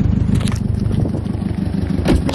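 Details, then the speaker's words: Subaru STI idling with a cylinder 4 misfire (roughness only at idle, fine at 2000 rpm): rough, lumpy idle with quick low puffing pulses from an exhaust leak. The misfire cause is unknown. "you can hear I'll exhaust leak so that's my own oopsie"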